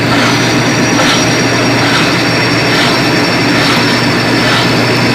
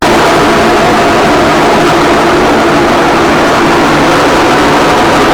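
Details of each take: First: Colormaq 11 kg washing machine after replacing the blown upper spin bearing (lower agitation bearing was fine): steady high-speed spin hum with soft whoosh about once a second, no grinding or rumble; repaired and working normally. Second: Colormaq washing machine in spin cycle: loud, rough, dense roar, spin being the main problem, then abrupt cutoff to near quiet; cause suspected, not confirmed, before disassembly.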